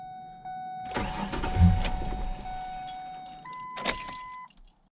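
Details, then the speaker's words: 2004 Ford Ranger XLT 4.0, 275,000 miles, no start that morning: warning chime, then about 2.5 seconds of even cranking that never fires. Owner wonders if it's out of fuel; the finding is a crank-no-start from a failed fuel pump. "Hopefully it starts. So this morning this thing didn't stop. Ready? Look at that. Oh. Is she out of fuel? Uh-oh. Huh. That's weird."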